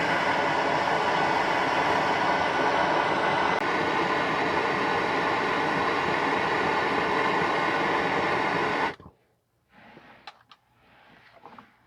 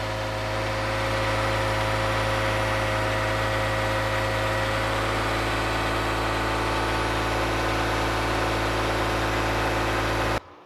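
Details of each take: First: 2015 Toyota Sienna AWD 3.5 running: loud steady hissing rush of exhaust leaking at the rear (secondary) catalytic converter joints; repaired by replacing donut gaskets and bolt spring kit on both sides. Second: 2015 Toyota Sienna AWD 3.5 V6, after replacing donut gaskets and bolt springs on both sides of the rear catalytic converter: smooth, even idle with steady low hum, no puffing or ticking; exhaust leak repaired.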